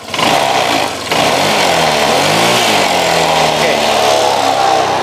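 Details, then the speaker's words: Honda Vario 125, engine hot with the overheat indicator lit, revved: revs rise and fall unevenly with a coarse, rough note, reported as a rough engine sound when hot; the cause is undetermined and the engine is shut off. "mas bro kondisi masih panas suaranya mesin menurut informasinya kasar suaranya saya Matikan ya"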